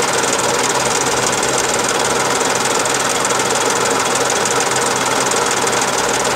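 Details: Daihatsu Charade '85 engine with constant rapid tapping, about three a second and somewhat uneven, over a busy engine hum; unexplained engine knocking noise.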